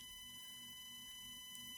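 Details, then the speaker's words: Redcat Ascent crawler on 3S with stock ESC and Holmes Hobby Crawlmaster Sport 550 motor, barely on the throttle, camera mounted on the truck: only a thin steady motor whine, with no clicks or gear chatter; the driveline is now quiet. "The only thing you hear is the motor now. That's it. All you hear is that motor whine."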